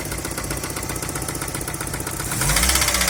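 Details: Daewoo Nexia engine: a regular tapping knock of about four beats a second rides over the idle and continues as the revs lift slightly. The engine is knocking.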